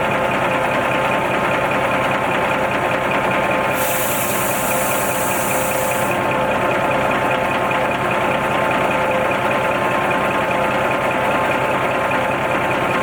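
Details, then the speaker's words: Owner-operator truck diesel idling while air builds toward 120 psi governor cut-out: sharp two-second air hiss; air dryer purging too often, previously every 10–15 s driving and 20–25 s stopped. "Because when it was purging every 10-15 seconds when you're driving, and when you're at a standstill, like every 20-25 seconds."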